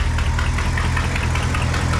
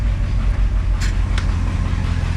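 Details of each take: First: 1972 International 1110 pickup, IH 345 V8 with new Holley 2-barrel carb at idle: loud raspy rumble with sharp puffing and ticking per firing pulse from glass packs and big holes throughout the exhaust. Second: 1972 International 1110 pickup, IH 345 V8 with new Holley 2-barrel carb, fires right up: deep steady rumble through glass packs and a holed exhaust, no misses or knocks; runs pretty good.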